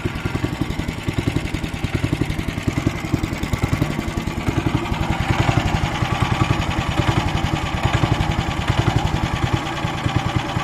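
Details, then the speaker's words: Weima single-cylinder petrol engine hunting at idle, revs swelling and sagging every few seconds; cracked fuel line found; owner suspects carburettor, possibly speed governor, plans carb cleaning. "оберти плавають скорше за все це карбюратор але може бути таке що і регулятор обертів теж вийшов з ладу"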